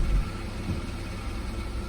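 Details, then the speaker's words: Rear (main) muffler, loaded in Drive with brake held: deep idle with loose, buzzy metallic rattle; internal baffle has come apart, likely weld separation or crack from age-related vibration fatigue, no external damage or corrosion; fix is rear muffler replacement. "ギアをドライブに入れてブレーキを踏み、エンジンに負荷をかけるとこの音が出ます。はい、この中がもう剥がれちゃってますね。"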